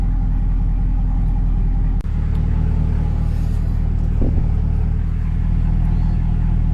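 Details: 2024 Cadillac CT5-V Blackwing, under 3,000 miles, with Corsa cat-back exhaust and valves open (codes P3173 and U1137D set with valves closed): deep, loud, steady V8 burble with an even beat and no misses or ticks. Normal idle.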